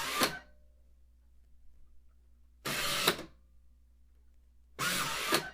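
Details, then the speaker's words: Tecmar Ditto Max Professional tape backup drive, eject button pressed and the drawer shoots out fast; short sharp whirring bursts with quiet gaps, normal eject. "And when you press the eject button on the front, a drawer comes out. But when it does it, you best clear the deck because this thing is going to come after you."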